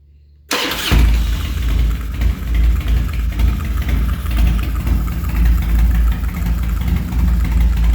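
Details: 2003 Harley-Davidson Dyna Low Rider, earlier a non-runner, with unknown cams, headwork and high-lift valve springs, restarted warm with no choke: catches within a second and settles into a steady, deep, lumpy V-twin idle. Normal start and idle, fuel system still needs flushing.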